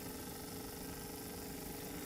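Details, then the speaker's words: Xin Tester LED digital magnetic stirrer mixing resin, being turned up: quiet, even motor hum with faint steady whir as the magnetic pill starts to spin, no knocks or scraping; normal running. "you'll watch when I turn this on how this magnetic pills start to spin as I crank it up a little bit right there"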